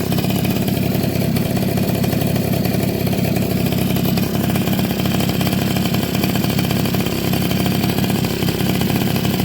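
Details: Suzuki RC110 / Yamaha Y100-type two-stroke single after replacing a hardened, leaking crankcase seal that prevented starting: steady even buzzy beat with no misfires or stumbling; engine running as it should.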